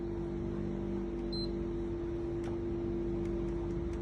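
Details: PS4 model 1106 that won't power on: eject button beeps three times, power press gives one short high beep, blue light briefly then off; a new power supply didn't help but works in another PS4, so the motherboard is faulty.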